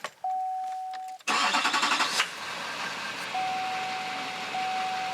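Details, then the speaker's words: 2004 GMC 6.6L Duramax diesel with a rough, shuddering idle, before Kleen-flo fuel conditioner was added. The chime sounds, then about a second of quick even cranking before it fires and settles into a steady clatter, a good start. "I'll let you hear what it sounds like now and I'll let you know what it sounds like after and stuff to take fuel with that starts up really good"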